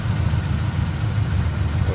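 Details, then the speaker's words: 1950 Ford Tudor flathead V8 on its original 6-volt system, hood open, brought down off high idle: a low, even rumble with a steady exhaust beat and no knocks or ticks. A smooth, normal idle. "Got it off that higher idle. Idling nice and smooth."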